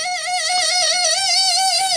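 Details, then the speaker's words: Mercedes 600SL V12 early 1992-93 throttle body motor, tapped while spinning: steady high-pitched warbling screech from worn end-bearing sleeves/bushings letting the armature chatter; no axial play. "I'm going to spray some of this stuff at the end bearing quiet so the sleeves sleeves are messed up"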